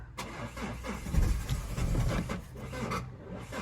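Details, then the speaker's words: Mazda 6 non-runner with flat battery on booster pack, no fault codes, exhaust temperature sensor removed and pressure sensor disconnected; cranks, coughs and surges unevenly, never runs, smoke pouring out, blocked exhaust suspected; crank no start. "Okay, right, we've confirmed anyway that she won't run, so we'll go and do some little bit of digging."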